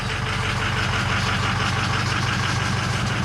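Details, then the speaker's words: Cold start of a 2006 Ford F350 with 6.0 Powerstroke diesel: loud, steady idle with a hard clattering rattle covering a quiet exhaust; engine noisier than it should be, cause unknown, check engine light on with two glow plugs out. "you're gonna get to hear the first cold start that thing is loud but the exhaust is quiet so we're gonna have to do something about that"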